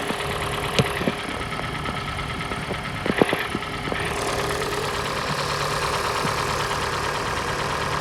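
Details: Hyundai G4NA engine at idle: hollow knocking over steady drone; teardown found scoring in cylinder 3, piston slap from scored walls; engine to be resleeved in a major overhaul.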